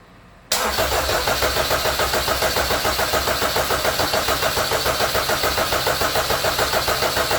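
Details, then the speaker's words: Rebuilt K24 engine back in a Honda CRX, cranked on the starter with the plugs in and the injectors unplugged as a compression check: about 200 even pulses a minute with no knocks or odd noises, so compression is even and healthy. "all right that sounded amazing compression sounds nice and even no weird noises"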